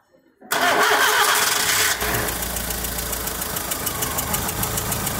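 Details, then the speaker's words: Volkswagen Saveiro lacking power, low compression on cylinders 1 and 2: engine cranks and catches, then a light, even tick of about four or five a second over idle, heard only at low revs; a manifold air leak is suspected, head gasket suspected as root cause. "y sólo en baja se alcanza a sentir ese como siempre tarde se siente como por aquí así como si algo como si una fuga de aire del móvil del múltiple"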